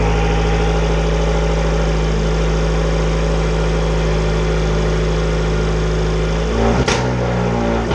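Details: 2013 Fiat 500 Abarth turbo four, first start after installing a front-mount intercooler kit. It settles into a steady, even idle with a smooth low hum and no knocks or ticks, so it sounds healthy.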